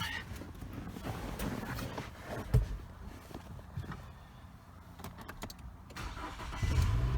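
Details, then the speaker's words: 2009 Nissan Altima with faulty brake pedal start switch left hanging as an emergency bypass: starter cranks briefly, engine catches and idles; clean start. "If you just let this hang, you can still crank your car."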